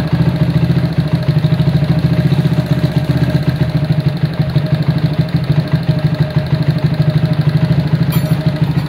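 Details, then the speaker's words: Honda CB100 K3 with CDI and GL Pro/Mega Pro carburetor on an aluminium manifold without insulator, before rework: fast, clattery single idle that will not come down, noisy engine with good compression; noisy engine with high idle. "Untuk suara mesin agak berisik. Terus untuk karbu idle-nya tidak bisa turun."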